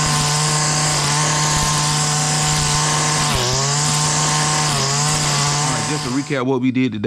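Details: Stihl FS70R trimmer after repair of bogging from too-oily fuel mix (carburetor cleaned, spark arrestor removed), cutting vegetation: high, steady buzz dipping briefly under load then recovering without bogging; normal running under load.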